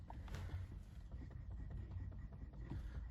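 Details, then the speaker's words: 2013 Hyundai Accent after tightening the steering wheel nut behind the airbag: steering turned back and forth with no more clunk or play, only a faint low rubbing from below attributed to age. "there is no more noise it's perfect and that's it super easy no need to remove anything it's perfect no more noise"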